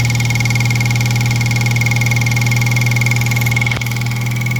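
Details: 2003 Mitsubishi Eclipse (3G) engine idling after the timing belt tensioner was corrected. A steady low hum with an even, fairly smooth idle beat and a faint constant whine, with no tapping or rubbing; it sounds like a normal idle.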